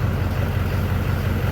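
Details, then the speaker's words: 2005 GMC Sierra 3500 Duramax diesel dually, about 460,000 miles, just after oil and transmission fluid and filter change; steady, even idle rumble, no knocks, misses or leaks, healthy. "I'm gonna let it run for a little bit. I didn't see any leaking, so I think we're good."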